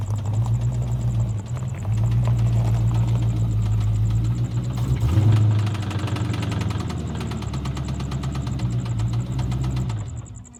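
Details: 1997 Ford Mustang GT: rapid, fairly regular knock inside the engine over low rumble, quickening with revs; cause not yet found, suspected not confirmed; revving and driving around the block didn't help; owner considering a replacement drivetrain.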